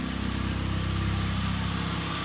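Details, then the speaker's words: Ford Focus after motor mount replacement and sealing off the suspected culprit near a sensor: steady even idle with smooth regular pulse, no stumble or hunting; best idle since the issue began. "so it's never sounded this good or idled like this since we had this little issue"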